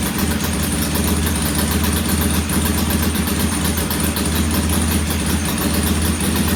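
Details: Norton P11 vintage British twin, first kick-start after carburettor disassembly and replacing dead gasoline with fresh: uneven, lumpy idle stumbling off the beat; one pilot jet responds poorly to adjustment versus the other side and will be cleaned again.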